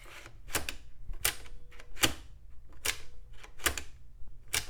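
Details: Probably late-1990s Telstar desktop floppy drive after cleaning heads and lead screw: quick even bursts of crisp clicking as the head steps, no scraping; seeks normally.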